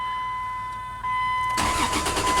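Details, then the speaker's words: Dakota truck cranks fast and evenly with no start after a warning chime; a shorted 5 V sensor reference kills the cam and crank signals, setting codes not caused by PCM power loss. "doesn't start because the cam and the crank are mi a so these two codes are not caused by a power failure to the PCM"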